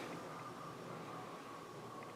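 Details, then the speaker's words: 1970 RR Hemi brake booster, engine off in total silence: soft, even hiss of air moving out of the rear hub as the pedal goes down, as it's supposed to; normal brake booster air exhaust. "That's air moving out of the rear hub like it's supposed to."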